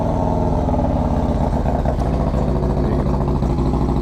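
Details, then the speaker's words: Motorcycle with HPI throttle body, intake and long exhaust, Woods 22-XD cam, S&S oil pump and cam plate, dyno 119 hp/124 ft-lb: complete cold start after a couple of days sitting, loud choppy lumpy big-cam idle, running healthy. "the bike ended up making 119 horsepower and 124 foot pounds of torque and this is what it sounds like now there's a complete cold start haven't started the bike since a couple days ago"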